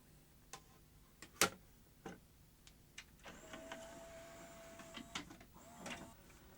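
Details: Pioneer CLD-1750 Laserdisc player loading an NTSC disc: quiet clicks from the tray and mechanism, then a smooth motor whirr for a couple of seconds as the disc spins up; normal loading, sounds healthy.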